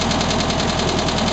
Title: 1967 VW Beetle engine knocking noise